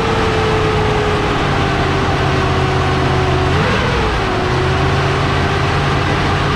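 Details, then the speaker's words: Truck that had sat about eight months, first start, 60 psi oil pressure: steady low idle under a loud whooshing roar with a brief pitch dip, like a giant fan. "hmm this thing sounds like a giant fan"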